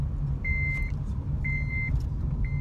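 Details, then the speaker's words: Worn-in Honda with a manual transmission, driving in second gear on a hot day: a steady high chime repeats about once a second over low road rumble. It is the seatbelt reminder because a passenger is unbuckled. "right my friends gonna put his seatbelt on now because the alert is getting really annoying and I know you guys don't like that so um we won't have that problem anymore"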